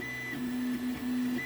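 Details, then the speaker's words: 3D printer running a PETG test print, combined STL file: steady high motor whine and smooth mid buzz with a suspected knock; owner suspects a G-code or design problem, no clear fault audible. "Oh, did you hear that knock then? Doesn't sound good. Don't like the sound of this."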